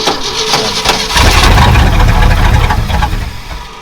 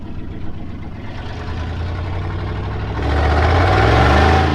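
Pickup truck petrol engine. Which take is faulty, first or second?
second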